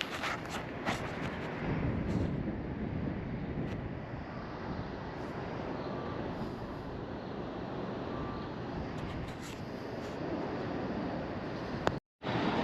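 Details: LG ductless mini-split outdoor condenser after a new fan blade was fitted (the old blade had loosened off the shaft and broken): steady, even rush of air with no rubbing, ticking or wobble; normal running after repair.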